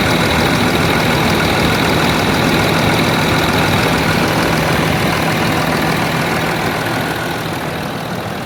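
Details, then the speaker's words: 2009 Land Rover Discovery 3, 150k miles, diesel, first start after a timing belt change: steady, even idle with a smooth low drone, no knocks, ticks or rattles; engine sounds healthy. "I think it's done it sounds um it sounds like a discovery"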